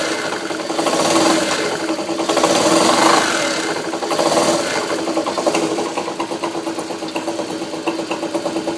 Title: Honda cm91 engine rattle bad sound